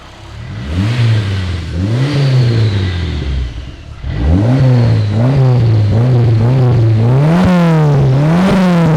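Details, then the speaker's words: Nissan S15 Silvia with a VVL head, Arctic manifold and G30-660 turbo, revved after the oil check. Blips rise and fall cleanly into smooth, quick revs with a deep, even exhaust note like a straight six and no knocks or misses. "it doesn't sound like it sounds deep for a four cylinder it's weird it sounds like a straight six"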